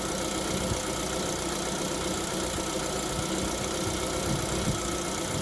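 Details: Lada Vesta at 11,000 km, cold engine at idle: steady light rapping knock over the engine note, consistent with piston slap before warm-up.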